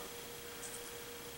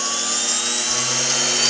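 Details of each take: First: Bestline AL-500P milling machine power feed, before repair: faint steady thin hum but nothing turns; motor powered yet stalled, fault in speed-control potentiometer. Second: Bestline AL-500P milling machine power feed, speed control repair, tested with potentiometer wired in; smooth electric whine rising in pitch as dial turns up, easing down evenly; speed control and direction working, replacement potentiometer needed.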